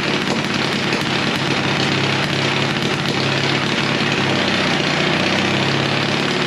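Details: Pony start motor of a late-1940s/early-1950s Caterpillar D6 cable dozer, a barn find sitting for years: it buzzes at a fast, steady rate with rattly mechanical chatter, started and running.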